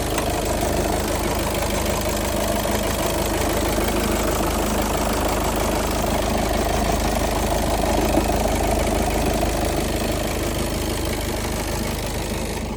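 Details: 2.0-litre automatic Golf 7 at idle: steady idle with a dull, irregular knocking rattle about three per second, flywheel suspected but not confirmed; idle rattle.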